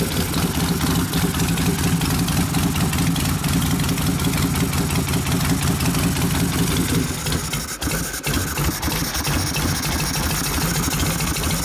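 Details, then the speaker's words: 1972 Harley XL Ironhead Sportster bobber, engine rebuilt after wasted pistons and pinion bushing, started with kicks after sitting, cold: lumpy V-twin idle at low speed, steady with no misses or knocks; idle should rise as it warms. "When it warms up, that'll go up. Yeah. Let it warm up."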